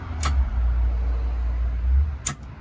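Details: International Detroit diesel firetruck after rewiring: over low diesel rumble, two crisp single clicks as switch is thrown; solenoid pulling in properly.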